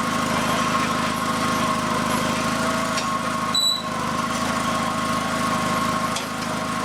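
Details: Honda two-cylinder liquid-cooled engine from a tractor, newly fitted as a replacement in the FF/18, first shakedown run with the wiring harness temporarily hooked up. It fires right up with an even twin drone, no misses, knocks or rattles. Normal running.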